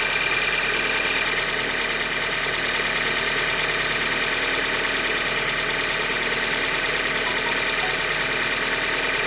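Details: 2015 Hyundai Elantra Limited, 91,000 km, idling with a steady regular knock about two to three beats a second; short block failure attributed to manufacturing defect. Finding: engine knock (short block failure).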